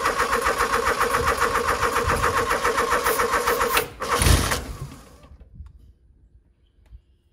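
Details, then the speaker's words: Genie GS 3268RT scissor lift engine started on ether with carburetor off: rhythmic cranking about four beats a second, then a sharp pop and it dies; backfiring through the carburetor, owner suspects timing slightly off. "all right sounds like got the timing is off a little bit backfiring through the carburetor but I don't"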